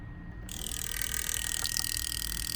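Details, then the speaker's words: Volvo 850 with cleaned 2200cc EV14 injectors, bench-tested in the harness but out of the rail and with no fuel, using the MegaSquirt injector test on injector A: fast, fine, even, steady ticking; the injector is opening and closing properly. "good here we got injector a was just clicking away so that's good"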